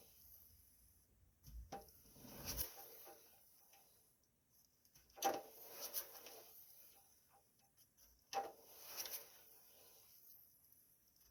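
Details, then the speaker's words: 2011 Toyota Prius, front raised, wheel spun by hand two days after transaxle fluid change (3.75 qt Toyota ATF-WS); short paired clunks from transmission/differential area as wheel starts turning against slight resistance, not when freewheeling; not heard driving; source unknown. "So as I start turning, I feel a little resistance and that's when the noise comes. And if I just let go and let it turn, that noise does not come back."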